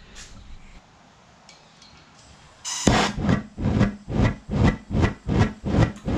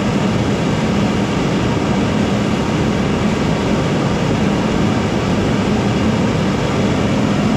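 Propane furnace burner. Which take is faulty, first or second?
first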